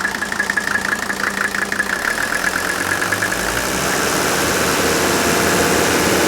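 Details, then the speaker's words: Mercedes OM617 turbo diesel with over 400 psi compression per cylinder, fires quickly and is brought off idle: light even clatter then a smooth rise to a steady roar; healthy combustion sound, not metal-on-metal knocking. "but that's the sound of healthy ignition okay that's not metal on metal knocking inside the engine that's the sound of a very healthy ignition fire"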